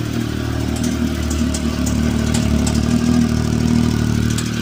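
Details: Triumph Tiger 1050 motorcycle engine running with an uneven clattering knock over the idle, roughly four beats a second; knock of unknown origin.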